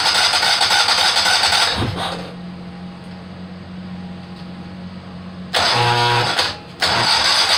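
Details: Kohler Command 18 hp twin during rebuild, first start attempt with carburetor gravity-fed from a funnel because the fuel pump hose is soft and falling apart; starter cranks steadily in two bursts with a pause, never catches; no fuel reaching the jet.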